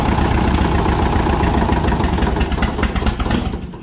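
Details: Allis-Chalmers WD45 tractor, sitting an estimated 15–20 years, first start after the engine was freed and the coil changed: uneven, lumpy idle with an irregular beat that never settles, then dies away; rough idle.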